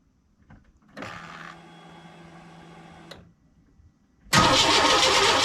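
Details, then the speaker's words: 1998 Chevy work truck with a newly installed, tested crank position sensor: starter spins the engine steadily for about two seconds without firing; still no spark, cause not yet found. "All right, so still getting no spark. I guess the search continues."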